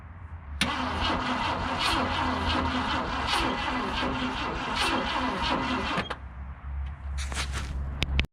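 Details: 1966 Ford Galaxie, 352 V8 four-barrel, automatic, first start in 26 years after replacing and gapping points: cranks briefly, catches within a second, settles to an even steady idle; still smoking.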